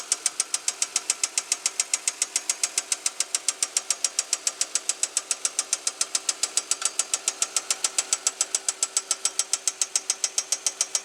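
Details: 2005 Chevy Equinox idling with a sharp, steady knock about three and a half a second over a quiet hum; oil pressure good, no metal in the old oil. Owner hopes it is a loose rocker arm, not confirmed.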